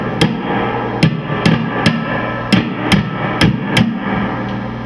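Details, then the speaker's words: PRS tube amplifier, preamp input tube tapped on its side while holding the base: sharp taps about twice a second come through clean, with no crackle, popping or runaway squeal. The tube sounds good. "Sometimes they'll freak out and just go, you know, crazy. That sounds pretty good so far."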